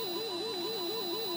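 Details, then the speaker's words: Rare early Japanese TKG Donkey Kong board stack with analog sound, powered on 12 volts, volume turned way up: a steady electronic tone wobbling about three times a second, a constant jumping sound in the background that seems too slow in frequency. "there's a constant uh jumping sound kind of playing barely in the background that we'll have to address um the other thing is that I don't think the frequency is right for that it sounds like too slow"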